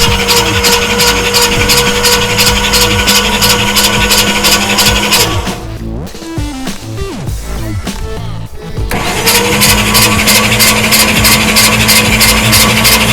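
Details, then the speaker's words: Cheyenne Ski Racer boat engine, starter jumped on battery power with only the main cables connected: steady, even churn about three beats a second, no grinding or clicking; engine spins freely, cold high-torque Summit Racing starter. "so we can now crank it over on battery power and let us spin around a few times oh yeah"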